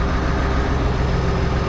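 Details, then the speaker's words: Tractor diesel (8959.6 hours), not fully warm, RPM picked up a bit after oil pressure came up; steady, even low rumble with no knocks or misses — runs nice, normal. "It runs nice, this tractor. I'll shut it off."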